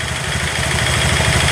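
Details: Honda Vario 150 scooter that previously would not start, traced to an aftermarket ACG socket to the ECU draining the battery: steady even idle with smooth low thrum, no knocks or misses; running normally.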